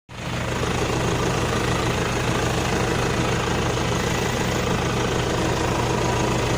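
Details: Nissan NP300 diesel with a rough idle: irregular shaking and a lumpy, uneven beat instead of a smooth run. Cause unclear.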